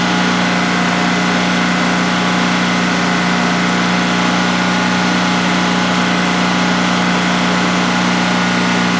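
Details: New DuroMax XP15000HX generator in a shed, second start-up on propane with the exhaust fan off: a steady, even drone at constant pitch with no stumbles or knocks during a 5-minute test run. Normal clean idle, no issues.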